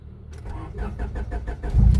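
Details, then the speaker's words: Honda Civic (VTi/LXi/SiR), simulated no-start troubleshooting: after the fuel pump is heard initializing from under the rear, the starter cranks briefly and the engine catches promptly into a steady rumble with raised cold-start RPM and no check engine light; normal start. "yon kita natin nag-start siya no start siya ng walang check engine light ito ay called start guys kaya mataas pa yung RPM niya"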